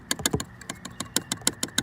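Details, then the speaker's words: Kawasaki Versys X 300 with Mad Stad windshield: its mounting plate shaken gives sharp dry clicks about six a second, rattles over bigger bumps; needs thin rubber or polyurethane washers behind it. "the mad stab windshield I did notice comes with this mounting plate it kind of rattles a little bit so it needs some washers behind it"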